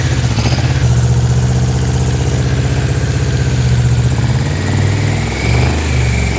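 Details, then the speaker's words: Yamaha Vmax V4 on its first start in years, after fuel system and wiring repairs, running without an airbox: deep, even, lumpy beat with no misses or knocks, sounding better and healthy. "The engine sounds good. It's starting to sound better."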